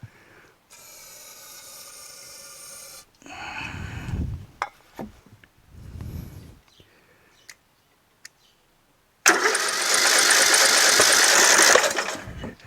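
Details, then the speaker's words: Rebuilt garden tractor with newly installed engine, magneto, carburetor and fuel system, starting fluid used, on choke: starter whirs steadily, engine catches a few weak sputters, then cranks without running on its own; cranks but won't start. "you guys think it'll start oh kinda did it went hmm i kinda wanted to though"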